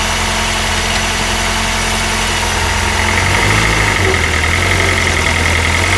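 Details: Honda R20A3 engine, loud cold idle recorded in engine bay: loose, uneven knock about three times a second under engine drone; suspected piston slap, louder the colder the weather, gone after a few minutes.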